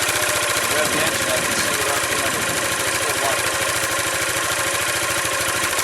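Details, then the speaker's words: 2005 Yamaha Majesty YP400T scooter after CVT inspection, secondary sheave cleaning and CVT filter cleaning, revved against the held rear brake. Busy, even exhaust with no slipping or rattle; the clutch engages near 4,000 rpm, as it should. "Right at near 4,000, which is what it should be."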